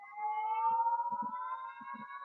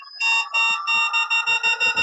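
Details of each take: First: Begode ET Max electric unicycle on a stand after a firmware update, motor whine climbing: sharp power-alarm beeps about 2.5 per second start at 40% PWM, too early, and the beeps are not progressive. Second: Begode ET Max electric unicycle on a stand, free-spin power alarm test held at about 85 and 80: clear high-pitched beeps, long then shorter and faster as load rises; progressive PWM alarm works properly, wheel did not cut out.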